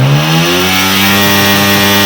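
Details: 2025 Honda CG 125 with a reported misfire and a pressure-leak-like noise from under the carburetor: RPM check, clean steady rev with an even exhaust note, no stumbles, popping or hiss; engine pulling smoothly and firing evenly.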